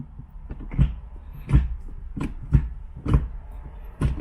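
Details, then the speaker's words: 2004 Infiniti G35 Coupe manual with newly installed IRP short shifter, bolts set with blue Loctite: lever runs through each gear, short dull clunks about every 0.7 s, clean engagement without grinding; shifter clears every gear properly. "so this is where we are now everything goes clear through each gear"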